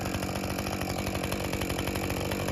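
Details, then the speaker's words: Husqvarna 550 XP Mark II chainsaw after bog-down fix; steady, even two-stroke idle with no stumble or hunting, ready to take throttle. "I want to let it idle for a minute and make sure that I could go jump on the throttle and that it will come to attention"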